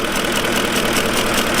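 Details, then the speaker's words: 2006 Ford F-150 5.4L 3-valve V8, 224,000 miles, slight misfire (P0308, P0316): idle with cylinder 8 ignition coil unplugged shakes much worse, uneven loping idle, so cylinder still contributes; swapping coils 7 and 8 changed nothing. "you'll hear it does still contribute. It's making a difference. It shakes a lot worse when it's unplugged."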